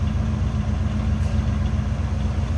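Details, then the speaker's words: 1971 Chevrolet El Camino at idle, heard from behind at the tailpipes: deep, steady, even burble, a nice mild rumble with no ticks, nothing over the top; healthy exhaust and engine. "A nice little rumble coming out of that, but nothing, again, nothing over the top."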